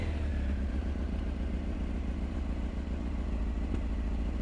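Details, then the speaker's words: Honda CBR900 Fireblade SC33, now running on all four cylinders after fixing a dead number three cylinder: steady four-cylinder burble with slight pops and a little bang from the tailpipe, from unbalanced carburettors that still need balancing. "so we do have a slight pop and a little bang out the tail end"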